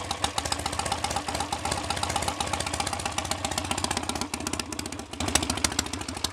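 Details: BSA A65 Spitfire Hornet twin after ignition timing was advanced, probably a couple of degrees, having previously hunted, raced or stalled: lumpy but steady tick over with slight unevenness, no stalling or hunting; not the best A65 idle but acceptable and much improved.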